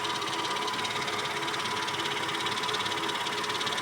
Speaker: На малых оборотах. Вот это шорох.